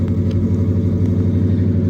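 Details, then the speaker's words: Ford F150 with a cam and a new tune, no throttle applied: deep, lumpy idle that revs up on its own instead of settling down; owner blames the tune. "So look at it. It's revving up on its own now."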